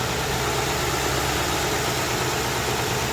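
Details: 2008 Ford Crown Victoria Police Interceptor (P71) with the 4.6L V8, recorded at idle in the engine compartment: smooth, even idle with a steady low hum and no knocks, ticks or misses; sounds healthy.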